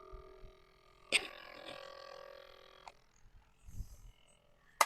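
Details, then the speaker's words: Sony WM-F73 Sports Walkman with cassette, play pressed: after the key click a faint steady whir for about two seconds with no tape movement; the motor runs but the reels don't turn. "and you can see nothing moves but if you listen you can hear it's definitely making a"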